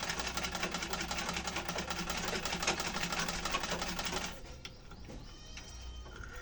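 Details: Household sewing machine trial run after refitting the old bobbin case during servicing: even rapid stitching clatter, about three stitches a second, smooth for four seconds then stops; machine sounds healthy.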